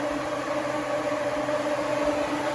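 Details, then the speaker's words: 1979 El Camino SS, key on with the engine off: loud, steady whoosh and constant mid-pitched hum from the 16-inch electric fan at full speed, no rattle. With the old alternator at idle it turns at half this speed and the engine runs hot. "That's how it should sound. When it's running with this alternator, sometimes it's like half of that pitch and basically turning at half the speed."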